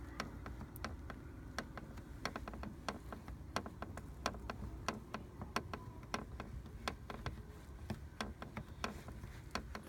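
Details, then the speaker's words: 2014 Mini F56 door trim pressed by hand, engine off: irregular sharp ticks and creaks; the same creak is heard from the doors on bumpy roads; door panel creak. "so when i'm driving on those roads i hear a little bit creaking coming out of my doors"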